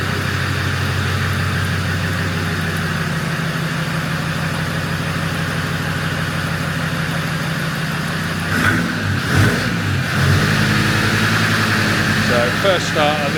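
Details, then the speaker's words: Land Rover Defender Td5 110 with a GTB450 turbo on the dyno, first start after fitting reconditioned injectors and priming: starts rough with heavy uneven clatter, then revs; diesel dropped into cylinders during injector removal causes the knock and smoke. "Obviously, where we pulled the original injectors out, you do end up dropping a bit of diesel down inside the cylinders. Um, hence the smoke uh the knocking on start."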